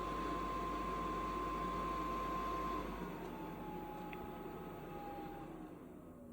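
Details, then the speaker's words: HCALORY diesel air heater at an off-grid snowy site, switched off by remote: the fuel pump stops and the fan runs a cool-down cycle, its steady tone sagging in pitch and fading as it spools down. Normal shutdown. "there you go. And it basically shuts itself off."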